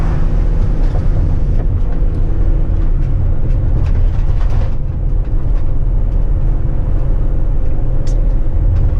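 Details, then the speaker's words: Ford Transit van with cracked intake manifold coolant leak, warm with heat and fans cycled, driving on road: steady even engine drone under road noise, no knocks, ticks or misses; drives well. "This thing drives pretty good."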